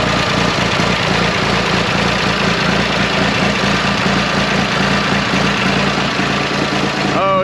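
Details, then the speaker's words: 1974 John Deere 350B dozer diesel idles with an uneven low chug then falters and dies; owner suspects a clogged fuel return line, fuel filter verified not clogged. "sounds glorious doesn't she yeah but she keeps dying though and uh I have a good good reason to believe it is a Clogg return line"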